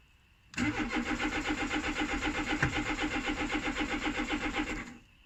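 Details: 2005 Peugeot 1007 that won't start: starter cranks evenly about four beats a second for four seconds but engine never catches; no power to fuel pump or fan, only starter motor, so no start.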